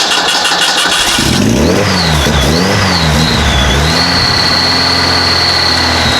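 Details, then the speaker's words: Model A hot rod coupe with a 2.3 L Ford 4-cylinder and Duraspark II ignition: with the ignition switch bypassed by feeding 12 volts straight to the coil, it cranks, catches cleanly, blips and settles into a steady, even idle. The ignition switch is suspected. "because we just went and bypassed the ignition switch by feeding 12 volts right to the coil, and the thing fired right up."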